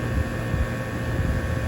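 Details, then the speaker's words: Home AC outdoor unit after replacing capacitor and contactor, which fixed compressor and fan not running (AC not cooling): steady, even low hum from compressor and fan, no clicks, buzzing or rattles; running normally. "the compressor kicked on in the back and then I went ahead and shut it back off and as you can hear everything seems to be working just"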